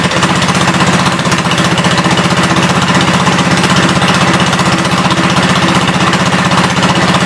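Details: 1972 Gravely 430 single-cylinder engine running normally after fuel system restored up to the carburetor (small drip at fuel pump inlet): loud, fast, even chug at steady speed, no misses or heavy knocks; high-low axle works, moves forwards and backwards.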